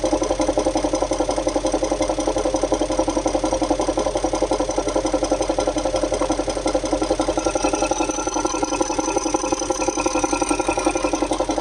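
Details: Audi A8 D3 4.0 V8 TDI (ASE) idling: fast steady metallic tapping near three per second over diesel clatter; pulsing oil-filler pressure, VCDS cylinder 8 deviation +1.98 mg/str; suspected lifter, timing chain or injector, unconfirmed.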